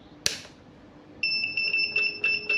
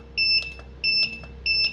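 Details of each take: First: Godox SK-series (SK300/SK400II) studio flash, switched on and button pressed: short shrill two-tone beeps in uneven bursts about two per second with a blinking red light, the E3 error alarm; title suggests careless flash-tube replacement, fault unconfirmed. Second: Godox SK-series (SK300/SK400II) studio flash, on for a while with no E3: rapid test firing, a bright double-tone beep about every 0.67 s with soft pops between as it fires and recycles normally.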